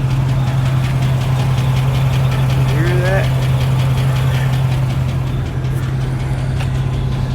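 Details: Idling petrol engine with a misfire: steady light tick about three a second over a slightly uneven hum; dealership found a bad lifter and is replacing the camshaft, lifter and other parts.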